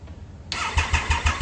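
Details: 2000 Triumph Sprint ST 955 engine, a salvage bike stored mostly in a barn, starting for the first time in 24 years, with a cleaned fuel pump assembly and new hoses. It catches at once and settles into an even beat of about six pulses a second, running cleanly.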